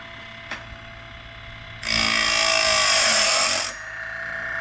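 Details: Woodland Mills Grindlux 4000 sawmill blade sharpener grinding an old Lenox bandsaw blade after the wheel was lowered a quarter turn: quiet hum, then a steady bright two-second hiss as the wheel cleanly grinds the gullet without touching the tooth back; normal grinding.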